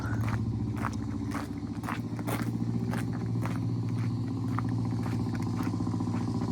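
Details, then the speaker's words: Single-cylinder 200cc four-stroke race bike (T20M) idling warm after a cold start and before a test ride: even, lively thump ticking over steadily with no miss or knock; normal healthy idle, runs fine. "Yeah, she runs fine. >> It sounds good."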